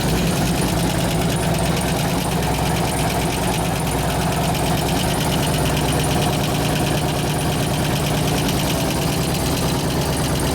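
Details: 2004 Harley FLHT Twin Cam 88 after cam change, new lifters and tensioner bearing repair: fast steady tick over a lumpy idle; a lifter is suspected not yet pumped up.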